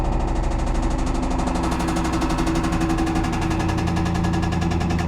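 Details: 1995 Camaro Z28 LT1 V8, bought with a knocking engine, at steady speed: loud, rapid, evenly spaced hammering knock over the V8 throughout, the heavy metallic rap of a worn connecting-rod bearing; rod knock.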